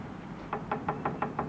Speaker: can you hear that that's the sort of problem you get when the saddle falls off and there's no saddle there